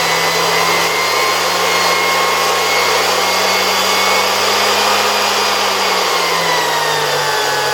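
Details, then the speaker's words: 1973 Zelmer 01A vacuum cleaner, type 34 motor removed from the housing and run at reduced voltage on a regulator: smooth steady whine easing slightly lower near the end, no rubbing or rattle; turbine no longer vibrates, rotor spins nicely; normal run. "And now this turbine doesn't move anymore, it doesn't vibrate. I feel like the rotor spins quite nicely."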